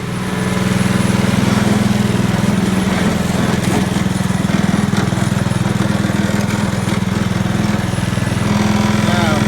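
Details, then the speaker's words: Trash-picked Honda Commercial HRC216HXA mower, first run after reassembly: steady even beat about three and a half pulses a second, no misses or surging; runs smoothly. "[Music] [Music] listen to it it sounds wonderful"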